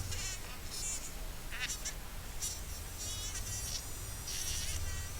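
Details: Thin, insect-like buzz that keeps droning with small pitch wobbles and never stops, vibrating as soon as power is connected on a fully shorted, dead mobile phone: vibration motor shorted and running continuously.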